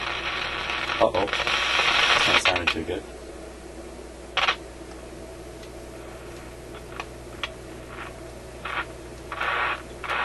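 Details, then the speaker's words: Canadian General Electric KM-5 vacuum tube radio, warmed up, powered via series lights: steady hum with irregular hiss and crackle bursts; dirty volume control noted, fault appears in audio output circuits, cause unconfirmed; intermittent crackling in audio output. "okay should be warmed up still got a dirty volume control"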